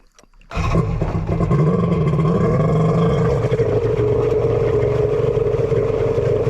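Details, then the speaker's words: Kawasaki 1100 triple with custom head, after locking up: engine runs unevenly with a wavering mid-pitch drone over rough low rumble; owner suspects crank bearing or sticky pump bearings at the back, not confirmed. "is that a crank bearing or is that something in my pump let's see if we can take a look in the Palm not what I wanted to happen oh she's seized doesn't sound hot sounds like sticky pump or sticky bearings"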